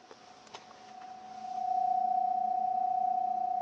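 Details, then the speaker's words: Fairchild 539A record cutting lathe with replacement servo motor in 16 2/3 RPM mode: a steady pure tone rises and holds as the drive spins up, growing louder; shaft couplers resonating, motor itself isolated, stops when coupler touched. "Okay, now you hear a tone, and that tone is actually coming from the couplers vibrating. The motor is not vibrating."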